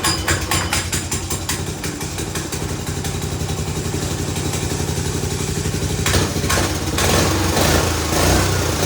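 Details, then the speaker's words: Old custom go-kart with Honda engine of unknown size, on jack stands with wheels spinning; starts right up and idles with a brisk, fairly even putter, picking up cleanly near the end. Normal running. "i'm just being on jack stands they want to spin right away but he starts right up"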